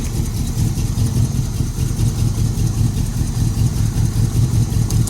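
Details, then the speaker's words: 1981 Cutlass with a 403 V8, first start in 2–3 years: fires and runs roughly at a low rumble for a few seconds on fuel primed down the carburetor, then quits. Engine runs briefly on primed fuel; fuel delivery is not yet sustaining it. "It's definitely gonna run because there's fuel down the carburetor too."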